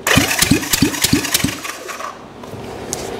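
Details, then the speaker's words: 1965 Honda CB450 Black Bomber replacement engine, second cylinder, cranked by a jump box on the starter with a thumb over the plug hole: even chuffs about three per second with a solid beat; good compression. "guys that sounds pretty good that sounds way better than most of the stuff I drag here and it had a really good uh solid compression"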